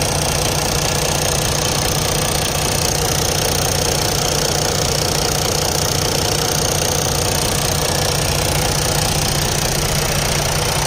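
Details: Detroit DD15 diesel truck engine idling with steady, fairly regular knock about two and a half times a second; bad high-pressure fuel pump, before replacement.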